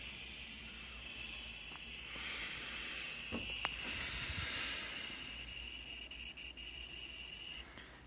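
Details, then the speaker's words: Old Semp Toshiba CRT TV under repair: faint steady high whistle with soft hiss that sputters and fades, from the noisy flyback transformer; no visible arcing with lights off; replacement advised when it fails. "Mas eu acho que o flyback mesmo que tá ruidoso interessante dar uma olhada com a Lisa apagada"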